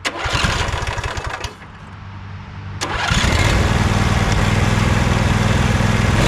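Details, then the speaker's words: Sabre by John Deere lawn tractor after carburetor cleaning, clog blown out and fuel tank cleaned: short crank, a stumble, then a strong steady single-cylinder idle with an even beat; now running normally. "There, it's finally idling. All right, I just took it for a ride, did a little bit of mowing. It is running perfectly."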